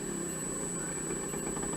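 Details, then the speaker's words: Harbor Freight 44142 mill/lathe motor converted to 3-phase, new bearings, shaft rocks in bell housings: steady hum over coarse uneven rumble and rattle, bad at original frequency, better at double; suspected loose, not imbalance. "even at the original frequency it's bad whatever reason at twice the original frequency sounds pretty good so I don't think it's out of balance more than likely just it's loose"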